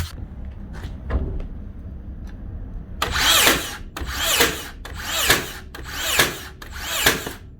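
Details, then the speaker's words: Makita DBN600 cordless second-fix nailer from 2021, before repair, not always sinking nails: five sharp snapping shots about a second apart, several blank without a nail; intermittent blank firing from dirt and dried grease. "that's what three nails that shot the rest didn't come out now they're coming out now they're stopping that's not a fire in there that doesn't fire that doesn't fire"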